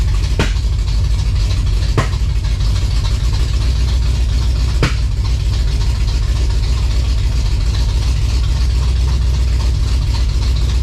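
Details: 1956 Chevy V8 hot rod, fresh timing set, first runs after revival, high-stall converter; deep idle with a lumpy, uneven beat and occasional sharp pops; owner hears a definite miss, cause not confirmed.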